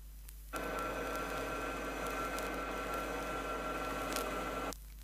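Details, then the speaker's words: Chrysler rear axle with correctly set pinion depth and proper tooth contact pattern: steady, soft low hum, no harsh whine or grinding; normal ring and pinion gear sound. "Notice that the sound is very low decibel and is in the nature of a hum and not harsh."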